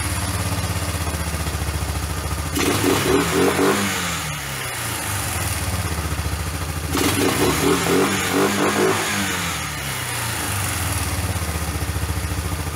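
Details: $50 Kawasaki four-wheeler basket case after home top-end rebuild with hand-ground valves, first start on a car battery via jumper cables: single thumps at idle, then revs cleanly up and down twice with no misses; normal running.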